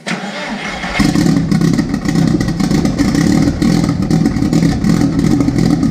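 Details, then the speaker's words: Jetta with billet IE fuel rail and Aeromotive fuel pressure regulator, jump-started from a fully flat battery after about two months sitting: brief crank, fires within a second, firm, steady, slightly high, loud cold idle; fuel pressure about 41 psi; normal start. "that was very loud so it runs"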